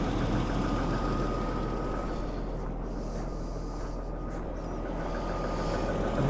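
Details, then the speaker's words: Daimler XJ40 (old Jaguar), which broke down on the highway, now fires straight up with the battery slightly low. It gives a steady, even low idle hum with no stumbles, idling fine. "but fire it straight up it's um yeah it's idling fine nothing really that weird"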